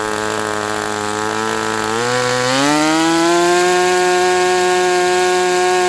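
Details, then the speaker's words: Sport 40 model airplane glow engine during break-in run: steady buzzing note climbs then holds high around 4,000 rpm, won't idle lower though loosening up; owner suspects the air bleed screw is not set. "So about 4,000, and it says, no, I'm not idling any lower than that. It does feel like it's loosening up some."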